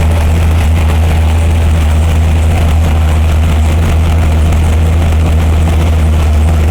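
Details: 572 cubic inch Hemi V8 on an engine stand, warming up on 94 octane after earlier backfires: deep, steady rumble with an even beat, no flames or backfires once the air-fuel ratio was sorted; water seen leaking at the head gasket.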